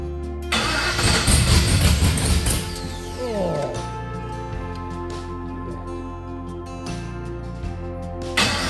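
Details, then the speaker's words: 1972 Monte Carlo with a freshly LS-swapped engine on a bone-stock tune, first start after being off the road since 2016; cranks, fires, then lumpy, stumbling, uneven idle under music. Rough running from stock engine tune. "it's just a bone stock tune on it it's probably going to run like garbage if it starts but let's see fireing the hole fire the hole get away it runs [Music] [Applause] yeah the tune's just too rough"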